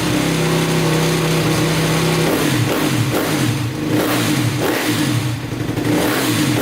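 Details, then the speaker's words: 2010 Honda CRF250R after valve shimming and cam timing checked, first start attempt. Catches and revs briefly with a steady drone, then sputters and dies. Engine stalls after starting; owner suspects it needs more gas. "Alright, well, she ran. That's a start. She ran, but she shut off. So it sounds like it needs more gas."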